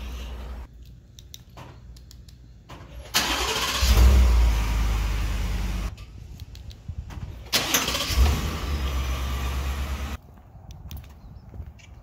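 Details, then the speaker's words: 2018 Ford F-150 5.0L V8 with 10-speed transmission, warm starts only, heard from under the truck: a single dull clunk as the engine catches, with the driveshaft moving on some starts; cause unknown, owner thinks it involves the starter. "This is um, pertaining to the starter making some weird clunking sound that just doesn't sound good some of the times. It's usually after I've already driven it, it's warm."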